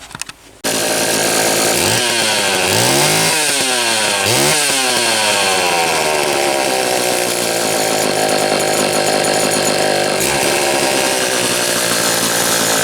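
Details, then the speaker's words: Homelite XL-123 chainsaw after condenser replacement fixed ignition popping and banging: crisp, even two-stroke buzz revving up and settling cleanly without popping or misfires; now running normally. "okay so finally as you can see finally this dirty thing is running right had all kinds of funny little issues the ignition problem did turn out to be this condenser once i've swapped that out it quit the popping and banging"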